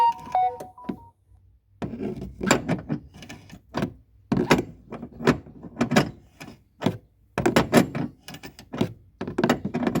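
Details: Old Alza rolling over a bumpy road: hollow thunks and knocks in uneven bursts from under the rear, rear suspension knocking.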